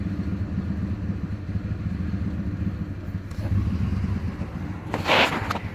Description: 2008 Dodge ram 1500 rough idle, only codes multiple misfire.